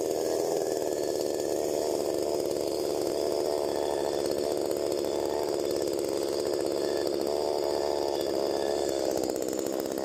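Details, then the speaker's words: STIHL MS 192T chainsaw after primer fix, before carb adjustment: fast high-pitched steady buzz instead of low idle, chain dragging; idle set too high, fixed by adjusting high, low and idle screws. "So, what you seen me doing when it was idling too high, chain was spinning, uh, is I adjusted the high end, the low end, and the idle."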